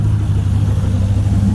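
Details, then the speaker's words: GT40 V8 in a Nautique boat, idling cold with fuel pressure stabilizing around 37.5 PSI, gives a deep, steady, even rumble with no knocks or misses; normal cold idle. "runs just as it should stabilizing right at at about 37 1 12 PSI"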